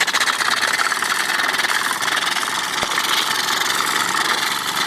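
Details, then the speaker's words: Restored Wilesco D5 model steam engine, about 1964, single-action piston: fast chuffing under constant hiss and spitting; steam escaping around a suspect solder joint at the front boiler collar under the whistle. "we've got stem coming out uh around what might be a dodgy soldering job by me just there"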